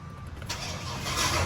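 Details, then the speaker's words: One-owner Ford Ranger that a shop said needs an engine, with engine oil way overfilled and hard to bar over by hand: catches and runs with a ragged, uneven roar that never settles; spark plugs and wires to be checked next; rough running, cause not confirmed. "Yeah. I like that. That's not the greatest. She's not sounding good, guys. That's not sounding good at all."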